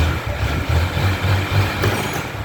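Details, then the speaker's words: Motorcycle idling after a new fuel pump was fitted: low, even putter with a steady pulse, no misses; normal quiet idle. "aí olha só certo barulhozinho dela tá baixo por causa que tá com essa bicho aqui pronto"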